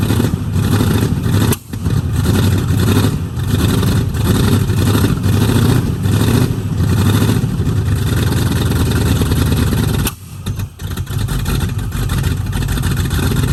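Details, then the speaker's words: 1969 Mustang, sat 15 years, new solenoid and voltage regulator: rough, uneven rumble with sudden stumbles where power drops out; definite miss, spitting back through carb, owner suspects timing slightly off, plans new plugs and wires. "I think timing may be off a little bit the reason you're spitting back but it still has a definite Miss"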